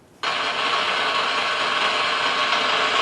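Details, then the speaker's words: Ultrasound detector recording on a 13,000-volt switch: a sudden, constant, even frying hiss that a healthy switch should not make; abnormal ultrasonic noise. "this was on that 13,000 volt switch in Charleston not something you would expect to hear correct"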